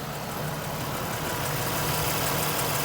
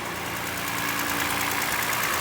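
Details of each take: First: Toyota Highlander 2GR-FE V6 petrol after overhaul for cold piston knock, idling at about minus 40 outside: perfectly even and quiet, no knocking or rattling, only injectors audible. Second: Toyota Highlander 2GR-FE V6 at a cold idle, heard from the side, makes a fast, light, regular knocking over the engine hum. The engine burns no oil and has no leaks; piston slap is suspected, and the engine is to be removed and rebuilt.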